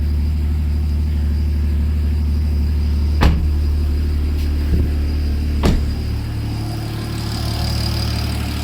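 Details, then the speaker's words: BMW 535xi E60/E61 just after a Walbro-style low-pressure fuel pump and pressure regulator were installed and primed. It starts and settles into a smooth, even low-rumble idle with no misses or knocks, apart from a couple of brief thumps. No leaks, and it sounds healthy. "Let's see if it starts. Well, that's good. It sounds good."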